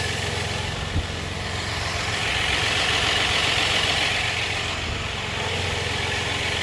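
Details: 4.3 engine at idle: a light metallic rattle ticking about four times a second over a hissy background; engine rattle of unknown origin.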